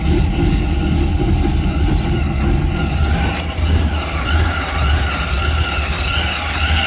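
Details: Engine idling rough: lumpy, uneven idle with irregular low thumps and a faint squeal on top.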